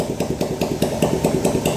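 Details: 2010 Yamaha Jupiter Z engine, complaint of rough noise every revolution, worst at mid rpm: rough rhythmic clattering grind about five beats a second; clutch ruled out, bearing suspected, traced to a broken gear shaft.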